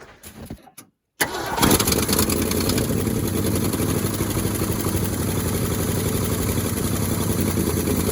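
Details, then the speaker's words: 1971 Ford Highboy boom truck cold start outdoors at about two below zero, after an earlier try drained the battery, on a 950 cold-cranking-amp battery: quiet gap, then the engine catches and settles into a steady, even idle with no misses; a healthy cold start. "amazing what a good battery will do she's even sitting there idling already"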